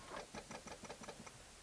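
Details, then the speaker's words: Newly acquired cheap project car, crank attempt: quiet, even ticking churn about six beats a second that never catches; slow crank, no start. Owner suspects insufficient battery charge, not confirmed. "Oh yeah, so that's really bad. So I think it could be an issue with the battery. Could be that we don't have sufficient juices on the battery."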